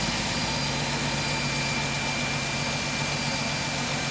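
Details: Mercedes-Benz C240 C-Class just after fuel injector replacement, first start with an initially empty fuel rail: a smooth, even idle with a steady low hum and no misses, knocks or ticks. Running cleanly.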